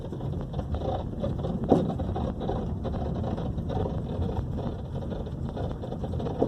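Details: 2012 Honda Civic driving over bumps: steady road rumble with two sharp, ugly knocks from the front suspension, traced to a cracked bushing on the left side.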